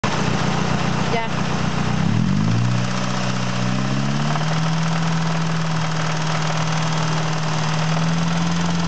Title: engine knocking